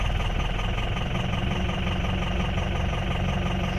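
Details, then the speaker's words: 2004 Ford F-350 6.0L Powerstroke diesel with a low-power complaint, at idle; heavy, lumpy, knocking idle like an old tractor, with cylinders 6, 7, 4 and 1 showing negative contribution from a failed injector control module (FICM). "sounds like an old tractor so six seven four and one are all showing negative on the contribution"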